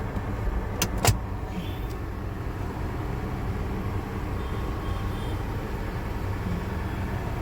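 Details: Toyota 4Runner 1GR V6 after spark plug and coil replacement and straightening a bent pipe: low even idle with no stumble or skipped beats, no misfire, check engine light not blinking.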